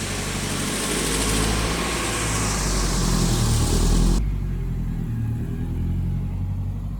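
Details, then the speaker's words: 1974 Datsun 620 truck with swapped-in KA24DE from a 1997 Nissan 240SX, after fitting a new custom exhaust replacing straight pipe: deep, steady, subdued low burble at idle, no harsh rasp or drone. Normal idle. "My neighbors are gonna like me a lot more now that that's not straight piped."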